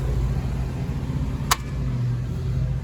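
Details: Older Evcon central AC condenser on R407C, no cooling, pressures not equalizing, high side rising, oil leakage, possible restriction: only steady low fan hum with faint hum beneath, compressor not starting.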